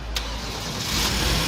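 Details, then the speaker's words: Hyundai Genesis 3.8 after a no-crank/no-start fault, fixed by repairing a broken wire to IC 11 from the inhibitor switch circuit and refitting the starter relay: the engine catches quickly and runs smoothly. Normal start. "السياره اشتغلت نظامي سياره اشتغلت شغل نظامي مظبوط"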